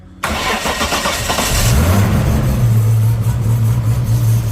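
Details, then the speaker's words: Modified turbo engine on E85 with decent-size camshaft and aftermarket ECU, no idle control valve, stone cold: quick crank, catches at once, brief flare then lumpy but steady cold idle; normal cold start. "That is stone cold E85. This is pretty modified. It's got a decent size camshaft in it. And I think that Yeah, sort of illustrates how how well you can make them run without idle control valve."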